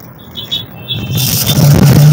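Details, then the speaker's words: Exotic Stinger 3.5 electric bicycle rear hub motor: normal unloaded on the stand, but a low steady hum and vibration when ridden, no motor or controller error shown; cause is a loose motor cable connection that overheats the motor. "Dia normal tapi waktu kita naikin itu suaranya seperti dengung gitu ya"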